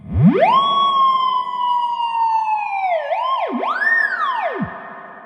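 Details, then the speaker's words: Fender Blues Deluxe reissue combo, fed a test wave: clean tone rises, holds, then swoops and fades with no hum, crackle or dropout. Plenty of reverb available, amp passing signal cleanly. "Lots of reverb drive available. Love it. Sweet."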